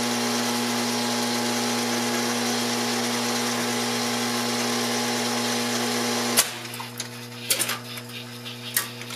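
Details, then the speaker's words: 1970 Wurlitzer 3400 series jukebox, selection T1: steady motor whir and buzz as the carousel turns, and a solid clunk and clatter as the record loads; a normal selection and carousel cycle. "[ buttons being pressed ] [ selection accumulator whirring ] [ buzzing as carousel moves ] this is gonna take a while..."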